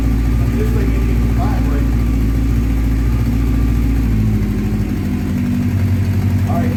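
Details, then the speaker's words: 1984 Honda CB700SC Nighthawk after carb cleaning, cold, slight throttle: slow lazy thump at idle that sags and wants to die; idle set too low; low idle when cold. "off from the little throttle because I don't think it's not enough it's still cold it's got a warm up a bit"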